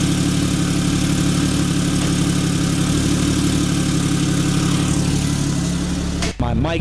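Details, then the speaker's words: Porsche 991.2 911 Turbo S cold start after installing custom headers, exhaust in quiet mode. Steady, even deep flat-six idle with no ticks, misses or rattles; normal cold start idle. "so this cold start is actually happening on a completely different day because as soon as I went to start the car the DJI Mike died going to do the cold start now"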